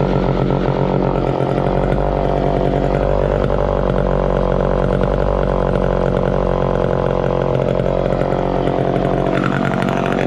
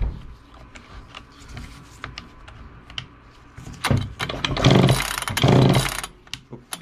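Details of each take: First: 1969 Homelite EZ Automatic chainsaw running after 20 years in storage: steady, even two-stroke buzz holding speed without stumbling or misfiring; running healthy. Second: 1969 Homelite EZ Automatic chainsaw on its first start attempt in 20 years after storage: a few quick rope pulls spin the engine without a single fire. It won't catch because the stop switch is still off.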